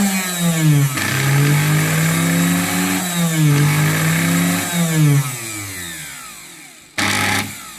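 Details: Singer 431 sewing machine, just arrived with shipping damage and play in the drive worm: motor hum wavers in pitch with uneven, laboring rhythm then cuts out; abnormal motor noise, owner has narrowed down the cause but motor is stuck in place.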